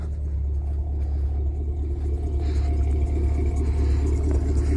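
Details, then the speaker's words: 1992 351W carbureted V8 truck at 27°F, returned to after a few minutes but still cold: kicked down, deep slow rumbling idle drops to about 500 rpm, lazy but steady, picking up to about 800 as it warms; normal low cold idle. "and kick it down and it's going to idle low for a little bit well it'll pick up after a little while"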